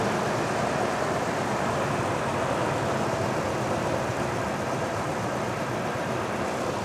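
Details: Toyota cold start, suspected to need a tune-up and spark plugs, earlier sounded like a bad exhaust leak: steady even idle with no misses, knocks or exhaust puffing; running normally.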